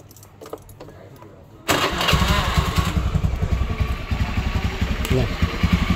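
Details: Honda Beat carbureted scooter (KVY) after kick starter return fixed: starts first try and settles into a steady, even putter with no rattle or judder. Normal idle.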